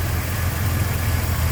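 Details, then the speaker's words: 1966 Chevrolet C10 inline six with header and dual exhaust, 56,940 miles believed original, heard with the hood up at idle: deep, even low rumble with no misses, ticks or knocks; idles smooth and tight. "Nice and tight too."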